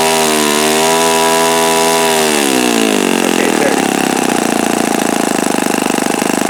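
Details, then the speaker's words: Repaired OS FS-48 Surpass four-stroke (blown-out crankcase repaired) on stand, peak-RPM and bearing check: high, harsh buzz climbs steadily then holds a strong, even top speed; bearings sound clean; mixture richened after knocking. Normal full-throttle run. "Okay, so maybe I didn't have it tuned properly the last time I ran this, because it seems to turn quite considerable RPM now."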